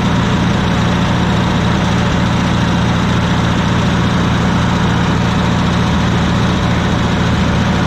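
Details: Wisconsin VH4D engine on Bandit model 65 wood chipper, repaired after abandonment: deep even drone with steady beat and no misses or knocks; starts great and runs smoothly.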